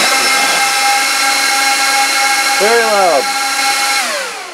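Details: 2006 Apple Xserve A1196 server booting a Snow Leopard disc: loud, steady fan roar with several fixed whining tones that never slow; fans stuck at full speed because the heatsinks lack temperature sensor wires.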